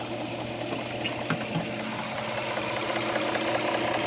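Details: 2007 Dodge Charger 3.5 V6 idling with a light, fairly regular ticking knock over the hum; oil level correct, owner suspects lifters or rocker arms, cause unconfirmed.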